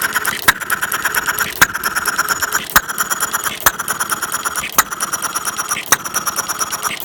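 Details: Half-scale Domestic side-shaft hit-and-miss model engine, 9-inch flywheels, make-brake ignition, gravity-fed fuel, set to run fairly slow in cold weather; sharp pops about once a second with quiet coasting, regular and healthy.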